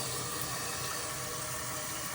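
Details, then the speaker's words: Toilet tank refilling after replacement of a fill valve that had been hissing and spraying: steady, smooth rushing water with no noise and no spray, a normal refill. "And you can see all the water coming down. No problem. No noise. No spraying water."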